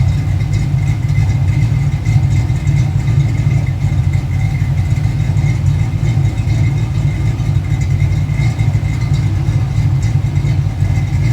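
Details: Fox-body car first started after years of sitting: deep, slightly uneven loping idle with no knocks, running rich; the owner will probably do a base idle reset and figure out why it runs rich.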